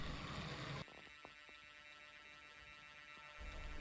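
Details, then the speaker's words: Hornby TT:120 A1 Gresley locomotive crawling on DC from a cheap train set controller before DCC chip fitting: steady low buzz with faint whine, worse the slower it goes; owner blames the cheap controller. "you can hear the uh hear that sort of buzzing sound and it gets worse the slower you go"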